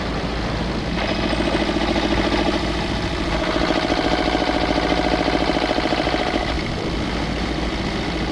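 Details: Old twin-cylinder diesel vibratory roller that broke down about 20 years ago, after running a while: firm, regular chuffing with both cylinders firing evenly; normal idle once the second cylinder picked up, earlier miss suspected from injector debris.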